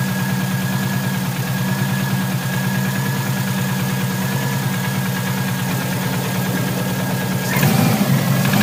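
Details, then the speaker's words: Subaru Impreza NA engine, likely overboosted during hard driving, idling cold: steady deep knock about three a second from low in the block; owner suspects rod knock or bent rod, with bank one passenger side shooting lots of oil. "so the noise sounds very bottom and it sounds like Rob knock or possibly even a bent rod"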